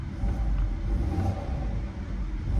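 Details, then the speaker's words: Auction car revved in 96°F heat: deep, even rumble as revs rise with no knocks, ticks or rattles, a healthy-sounding engine, though the check engine light is on and the AC isn't cooling. "engine sounds healthy engine sounds healthy but it does have that check engine light on"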